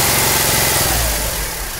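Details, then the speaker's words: Skoda Fabia with overheating issue; engine held at raised revs to warm it until the automatic radiator fan switches on with a steady smooth airy rush; fan circuit working, fan later cuts off automatically as engine cools. "तो friend हम इस गाड़ी का race पकड़ के रखें हैं engine गम करने के लिए ताकि हमारा ऑटोमेटिक फैन चालू हो ये हमारा ऑटोमेटिक फैन चालू हो चुका है"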